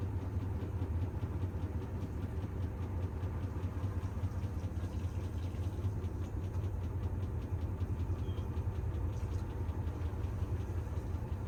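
Heavy low rumble with an uneven, lurching beat through the spin; the drum is running badly out of balance. Cause suspected, not confirmed.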